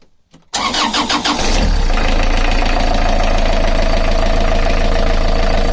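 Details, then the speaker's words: Beta Marine 38 narrowboat diesel, alternator belt released while chasing a tapping/rattle; cranks briefly, catches quickly, settles into a steady even idle with no knock or belt squeal. Normal start and idle. "Let's fire it up and have a listen. There's no noise whatsoever. There's no noise. It's so smooth."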